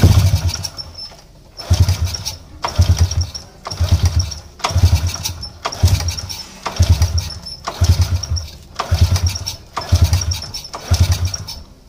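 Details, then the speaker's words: Motorcycle that is hard to start and sputters when running fires in rough one-second bursts, catching and fading; very weak spark shown, too small to run the engine, pointing to a failing spark plug. "Kau orang dah Tengoklah masalah dia memang tak mu hiduplah tadi aku dah try sebelum kita buat video diaah"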